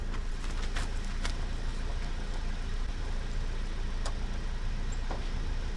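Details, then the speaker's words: 1988 Chevy 2500 with 6.2 diesel, Banks turbo kit, over 400,000 miles, long parked, jump-started and fed starting fluid: starter churns steadily but engine never fires. "she's like right there you can hear her trying"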